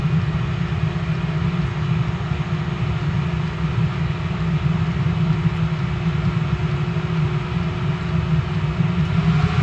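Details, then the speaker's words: Restored Eberspacher BN4 heater, full-load test after cold start: steady even rumble and hum, no sputter; rpm rise signals glow plug switching off to run on spark plug alone, fully heated. Normal full-load running. "Okay, when we hear the RPMs increase here, then we're going to know that it's kicking off the glow plug, and it's going to run solely on the spark plug. And then it's an actual, when it does that, it's fully heated up and running."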